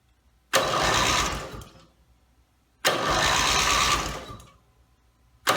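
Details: Rebuilt Briggs & Stratton mower (carb rebuilt and filling, timing dots aligned, valves seated, compression unknown) pull-cord cranks in one-second bursts about every two seconds without catching; gas later leaked from the muffler bottom, and the owner suspects a fuel-delivery problem.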